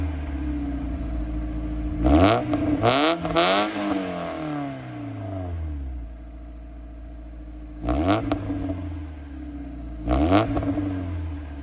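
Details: Mazda Miata with sport exhaust after valve stem seal replacement and new head gasket; deep exhaust burble with sharp clean blips, idle sitting a bit high; engine running healthy.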